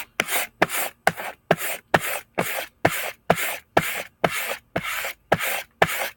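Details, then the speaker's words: Knife blade being stropped with moderate, not heavy, pressure after sharpening. Rhythmic rasping strokes about two a second with a faint click in each pass, showing a small burr still left on the edge. "okay burr is a little bit left well he's a little bit of moderate pressure not heavy pressure"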